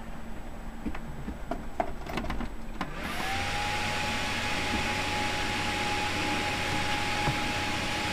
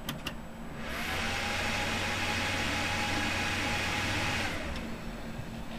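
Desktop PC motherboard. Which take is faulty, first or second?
first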